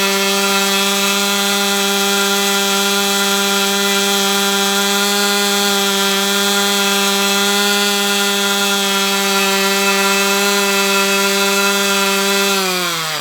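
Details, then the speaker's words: Brat 28 model glow engine, hot, still has compression: very high steady screaming whir, then pitch sags and it dies again; owner suspects some internal drag too much to overcome, cause unconfirmed. "And there it goes. It just dies again."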